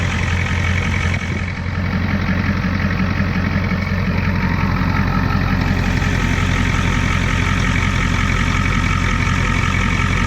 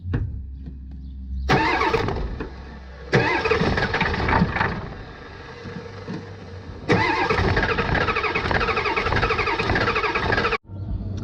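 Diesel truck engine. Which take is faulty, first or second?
second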